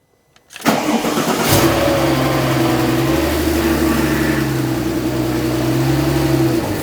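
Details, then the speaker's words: Rebuilt crashed 600HP Porsche 911 Turbo flat-six after fitting exhaust, O2 sensors and intake piping: rough idle with steady power steering pump whine, probably completely out of fluid. No leak seen; reservoir was later found empty and refilled. "I can hear the power steering pump whining cuz it's probably completely out of fluid but I don't see it leaking anymore"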